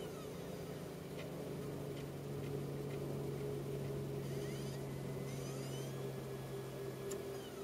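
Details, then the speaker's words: Mac Mini running Snow Leopard with 4 GB RAM: the DVD drive spins up a burned DVD with a quiet hum, rising whir and faint ticking, then rejects it. It plays retail DVDs and audio CDs; failing to read burned discs. "the disc is trying to spin up I don't know what that sound is and it rejects it just like that nothing happens"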